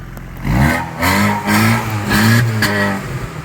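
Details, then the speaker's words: Six-seat project vehicle revved after exhaust repair, stock muffler and silencer but catalytic converter removed for a straight pipe: repeated revs rising and falling with a slight raspy edge; a sound exhaust note. "so it's got a little bit of rasp now with a stock muffler and a silencer but it has no catalytic converter now it's just got that state pipe"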